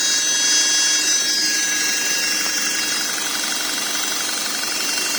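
Steady high-pitched whine rides over the running engine throughout and does not fade; it sounds like a whining gearbox.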